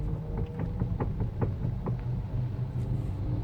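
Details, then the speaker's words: 2008 Honda CR-V electric power steering rack, steering wheel rocked left and right: sharp, uneven clicks and knocks come from the worn inner shaft bushing and rack ends, later repaired by a power steering specialist. "It is a 2008 model Honda CRV, and I've been getting a little bit of issue with this steering. I'll show you quickly. Can you hear that click, click and knock, knock when I rock it left to"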